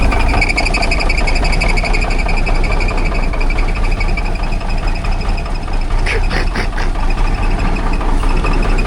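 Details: 1978 Kenworth K100 cabover diesel, long-stored, first start, idling right off the bat: heavy, lumpy uneven idle with chatter, little smoky, not hitting all six cylinders (cause not confirmed); rough idle. Oil pressure 60 PSI, water temp not up yet.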